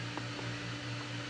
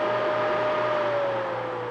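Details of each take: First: Adventuridge (Aldi) iceless electric cooler, dial turned to off: steady low hum with faint soft pulses as the fan keeps trying to start even though switched off; fan also stalls at medium setting, cause unknown. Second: Adventuridge (Aldi) Peltier iceless electric cooler, 12/120 V, dial set to maximum: steady airy whir with faint hum and slightly falling tone as the fan runs flat out.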